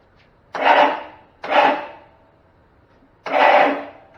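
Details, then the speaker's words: 35-year-old Cub Cadet Model 1210 garden tractor, sitting about 10 years, on jump pack: three short bursts of high free whirring with no cranking thud. Starter spins but does not engage flywheel; owner suspects solenoid/drive not engaging. "All right, so what I'm getting is the starter making a lot of noise, but it's not engaging the flywheel, the crankshaft, so it's not turning the engine."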